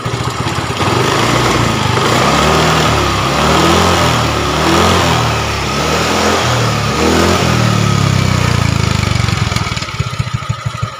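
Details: Yamaha Mio 125 automatic scooter after repair of a rough, smoking, oil-burning engine (new cylinder block and piston): smooth idle, then clean throttle blips rising and falling evenly with no knock or rattle, heard over rain; it sounds healthy.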